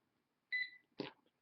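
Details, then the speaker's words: Motorola MC75 handheld pairing with a Bluetooth printer: a short, bright two-tone chirp for about a quarter second, then a soft knock; the printer has paired and is communicating normally. "okay and you can hear a little chirp from the printer meaning that the handheld and the printer are communic indicating"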